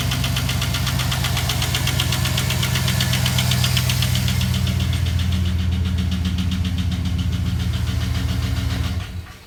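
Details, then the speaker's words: 2007 Silverado 5.3 V8 with a collapsed hydraulic lifter on the cylinder 6 intake: a rough, uneven idle with a steady light tick over the rumble. The lifter lost pressure, so the valve still opens partly but not fully. "unfortunately had a la of lifter collapse or at least it uh lost hydraulic pressure and sounds like crap so give it a start and let you guys hear it real quick"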